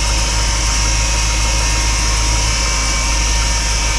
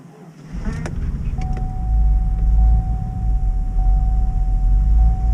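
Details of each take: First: GMC Yukon cold start in a deep freeze, needed a booster pack: steady thin whine over the idle at constant pitch; owner suspects the power steering pump is low on fluid from a leak. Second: GMC Yukon at -21 °C (-6 °F) after failed crank then booster pack start: deep steady rumble, even beat, thin constant whine on top; normal cold idle.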